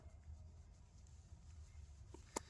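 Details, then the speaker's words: 2018 Subaru Forester rear brake job: a quiet room, then a light tick and a sharp snap as the torque wrench breaks over at its set torque. "until we get a click and you can hear it right there and we'll get you a little closer here so you're going to hear and feel and see your wrench click like that all right so that's when you know that you've reached the setting that you put"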